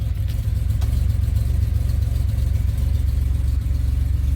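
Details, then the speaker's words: 2007 Pontiac Grand Prix GT restarting after a fuse box swap that cured its crank-no-start; it took a minute but started. Steady low idle rumble, even beat about three per second, no misses or knocks; owner says still running rich, needs a tune. "Well, she's still starting right up, so I'm happy about that. Still running rich though."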